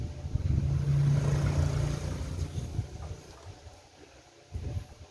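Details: Stihl 070 chainsaw under repair: low, rough two-stroke running that sags and fades, then a short thump; saw lacks power and backfires.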